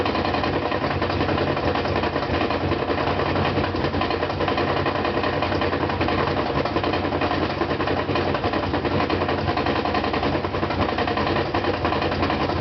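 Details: Brand-new GE washer (Sep 2012), spin cycle loaded with 2 blankets: heavy repeated knock two or three per second over motor hum, absent when empty and during wash and rinse.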